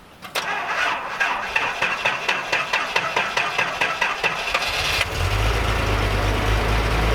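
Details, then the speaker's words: 1978 Datsun 280Z, sat about 20 years, started after charging the battery: the starter cranks in quick even beats, about two per second, then the engine catches at five seconds into a steady idle. Normal start, though the owner suspects many vacuum leaks. "only needing a charged battery to get this thing going was the best case scenario and it sounds pretty good I mean maybe it's got kind of a track 3 vibe to it"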